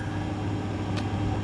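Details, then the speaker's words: GE refrigerator that clicked and wasn't cooling, after fitting part WR07X10131 in place of discontinued WR08X10089: even low hum, no clicking or cutting out; compressor starts and runs smoothly. "we'll fire it up once to see if it explodes that's a good deal right and by golly it's working well that was that"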